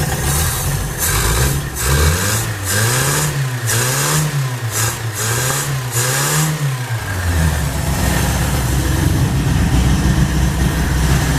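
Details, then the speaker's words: 1980 Honda Accord, junkyard car not run since about 2008, freshly fitted Weber 32/36 electric-choke carb (Redline K724 kit), first start: loud raw exhaust rasp through rev blips back to idle; muffler has been cut, throttle slightly sticky. "Muffler's cut. For some reason, it's just cut."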